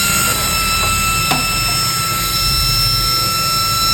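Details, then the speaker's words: Used Delta Electronics server fan, brushless ball-bearing, DC 12V 3.30A rated, at high speed drawing 2.54–2.6 A: a loud, constant rush of air with a steady high whine holding pitch. Clearly louder than the other fan, and running properly. "Oke, yang ini jauh lebih kencang ya, di 2,54 ampere, 2,6 ya, 2,5, 2,6. Ini jauh lebih kencang. Dari suaranya sendiri sudah terdengar."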